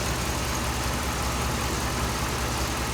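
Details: 2007 Dodge Ram 5.7 HEMI V8 idling after a water pump replacement; 140°F at the thermostat, which opens around 200°F, with no leaks while air is bled out. Steady, smooth low rumble with no knocks, ticks or whine. Normal idle.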